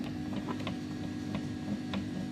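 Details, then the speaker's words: Silhouette Cameo 3 cutter, loading/unloading roller jamming occasionally going forwards: faint irregular ticking over low motor drone as gears catch, caused by play in the roller motor shaft. "so it seems that there's a little bit of play and the shaft here inside the motor to control his roller"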